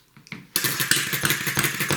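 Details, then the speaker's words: Customer-returned "not working" mini 6cc hit-and-miss engine, ignition wire shortened: after catching, crisp regular pops about three a second, even and steady; engine firing and running, though it leaks fuel. "whoa did you hear that it fired it actually fired going now"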